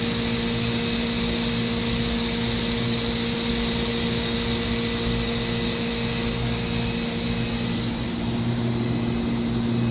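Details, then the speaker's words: 2013 Mazak HCN 4000 Mark III CNC horizontal machining center, spindle at its max 14,000 rpm with 3% load: clean, steady hum near 230 Hz with a constant airy whoosh, no growl or wavering; normal. "This machine has a max spindle RPM of 14,000, and this is the spindle running at 14,000 RPM."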